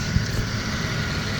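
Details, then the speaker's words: 1990 Oldsmobile 98 Regency Brougham with a pre-Series II 3800 V6 at idle, after bypassing the AC compressor with a 73.25-inch belt: smooth, low rumble with no squeal or chirp; the accessory belt is tensioned and quiet. "73 and a quarter inch does it perfectly there's absolutely no noise everything's tensioned perfectly and we have a running car without a noise AC compressor"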